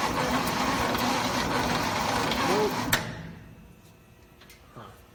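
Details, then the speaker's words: 1969 Chevy C/20 with 327 V8, sat for 40 years: steady starter cranking at about three turns a second with no firing; crank no start, no spark because a key ignition component was left out, points first suspected. "which means it's probably still we're not getting sparked correctly so probably going to have to replace the points"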